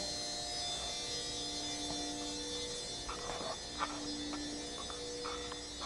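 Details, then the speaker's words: 2013 Jetta TDI auxiliary fuel pump run via scan tool basic settings group 35, key on, engine off: even electric hum with faint steady whine and light clicks, running without strain; normal auxiliary fuel pump operation. "it will run the pump you can hear it running without much"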